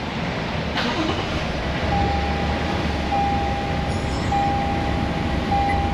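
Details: 2024 Toyota Tundra, 1500 miles, started right after first oil and filter change: even, steady rumble with repeating dash chime, settling to smooth idle with no ticks or knocks; oil pressure about 3/4 on gauge; normal.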